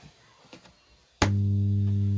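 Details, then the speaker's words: Lucky Tech home theater with no sound, powered up: loud, steady low hum starts instantly and holds unchanged with no program audio; TDA2030 amplifier ICs overheating, suspected shorted output chips. "देखिए इसमें यह humming आ रही है और इसमें किसी तरीके की कोई भी साउंड हमारी शो नहीं कर रही है"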